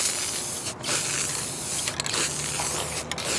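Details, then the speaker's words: Spray paint can used on a glass-head Briggs & Stratton engine project. Hiss breaks up with dropouts and uneven bursts, barely coming out and bubbling. Spray can spitting and sputtering; owner suspects a bad can. "you hear it it's left-handed too here it's like it's almost barely coming out and it's bubbling up"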